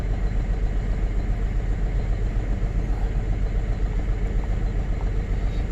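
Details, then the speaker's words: 2005 GMC Envoy with rodent damage, codes cleared: deep idle rumble with uneven, lumpy pulse, running rough enough to shake the door; misfire at idle, scan tool points to cylinder number three. "start it up she runs pretty rough I don't know if you can see the door shaking but [Music] it is running rough it definitely feels like a misfire misfire"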